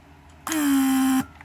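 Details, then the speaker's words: Mercedes W140 500SEL central locking/antenna pressure-vacuum pump, rebuilt; steady electric hum for about three-quarters of a second, then cuts off cleanly once set pressure or vacuum is reached; healthy, leak-free. "lock and again as you can see pressure and vacuum is very healthy very high once pump reaches that pressure or vacuum set it shuts off so this is great"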